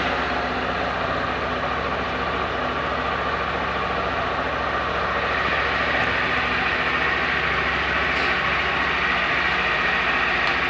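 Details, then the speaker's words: 2021 Honda Fan 160, first cold start of the day, checking for the engine noise others report: steady, even idle with smooth exhaust note and no ticking or knocking; owner hears no abnormal noise, normal cold idle. "Assim, eu não vejo esse barulho todo que os caras falam não, sabe? Pode ser que eu fui premiado, né? Com a moto que não barulha tanto, igual os caras falam por aí, né?"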